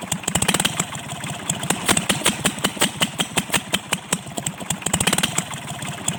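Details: Kubota L1-255 tractor/marine diesel knocking hard, with uneven sharp knocks two or three a second over a ragged run and white smoke. The fix is replacing the cylinder head.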